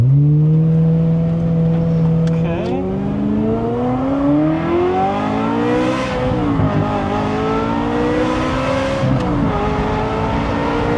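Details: Ferrari 355 V8 during inspection, not yet fully hot: smooth even idle rises cleanly through the revs and settles back, no miss, tick or knock; sounds totally normal.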